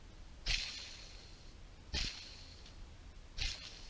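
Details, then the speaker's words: Subaru Forester EJ251 engine, removed clutch release bearing spun by hand near the camera: three short, dry, gritty rasps about 1.5 seconds apart; bearing badly worn and baked, being replaced with the clutch. "it is tortured it is done baked and I'm surprised that I didn't actually hear it"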